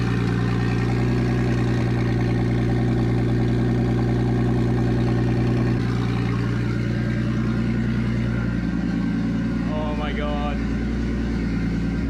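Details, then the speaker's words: Nissan Stagea RB25DET first start after new ball-bearing turbo and braided oil and water lines install, airflow meter unplugged, no dump pipe: loud steady idle, deep even drone settling slightly in pitch, no misfire or knocking; healthy. "Oh, well, there you go, guys. I'm beyond stoked. That turbo sounds sick. It's definitely ball bearing."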